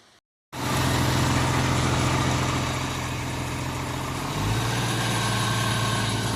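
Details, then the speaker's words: 1994 MerCruiser 4.3LX V6 boat engine, warm at about 130, on fresh fuel with a new fuel-water separator: steady idle sounding quicker than the tachometer's roughly 900 rpm, with a tone shift midway, before stalling; high idle, cause unconfirmed. "So, the tax says about uh 900, which that sounds considerably more than 900 to me, but let's see how long she goes."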